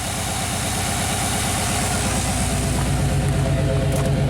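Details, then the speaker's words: Classic Chevy 5.7L V8 after installing a replacement PROM chip, warming up at 1,000 rpm fast idle: steady even low pulsing, no misses, knocks or rattles; engine sounds healthy. "We'll let it warm up for a little bit. Sounds healthy. RPM's at 1,000."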